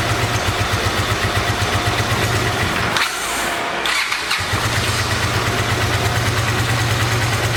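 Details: 1986 Honda VT500 Shadow V-twin, revived after years sitting, idling while warming up: loping idle with uneven stumbling beats dipping briefly on a blip; rear cylinder not firing, owner suspects ignition coil or mice-eaten coil wire.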